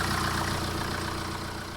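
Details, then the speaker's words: 2011 BMW 118d E87 LCI diesel, full service history, just fired up with warning lights on, under the bonnet: steady, even diesel clatter at idle, no timing chain rattle; normal idle. "There's no rattling from that chain. It sounds as good as gold, which is a really good thing."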